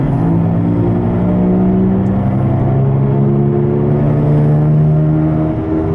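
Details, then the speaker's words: Driver's-side wheel bearing on a car, heard driving toward about 80 km/h (50 mph): a loud, low growl rises in pitch with speed, droning over road noise. The owner first blamed the tires; the bearing was confirmed by jacking up and spinning the wheel. "It's quite loud."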